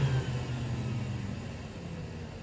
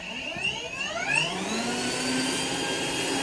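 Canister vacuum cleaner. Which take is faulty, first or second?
first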